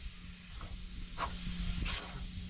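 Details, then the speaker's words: Homemade wig-wag model steam engine on its first start, run on air pressure: a soft airy hiss with short puffs as it barely turns over. Bubbling shows the valve face is probably not sealing. Air leak hiss; it likely needs more pressure and running in. "so you can hear the pressure coming through I can see a little bit of bubbling there so that face is probably not working"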